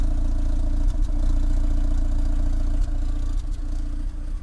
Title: Peugeot 306 GTI6 misfire